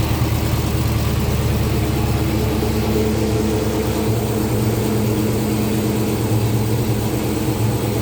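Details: 2014 Dodge Charger R/T 5.7 Hemi at first start after fitting a 6.1 intake manifold, gaskets, fuel rails and injectors: steady, deep, even idle for several seconds with no misses, ticks or hissing leaks; normal idle.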